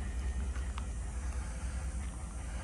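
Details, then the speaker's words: 2014 Ford F-150 4x4 XLT, 5.0L V8, idling, heard at the exhaust: deep, even burble with a steady pulse and no skipped beats; no obvious misfires, healthy running. "let's listen to the exhaust very good no obvious misses"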